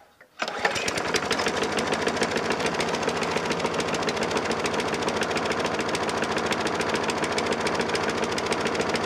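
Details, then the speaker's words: Roadside-found Craftsman 6.75 torque mower after sitting: fires after a pull, chugging about 3.5 beats a second, slightly irregular; uneven running, cause unconfirmed. "doesn't smoke you can hear it when you first start it you know it gets to its peak rpm and then like it settles down into its operating rings"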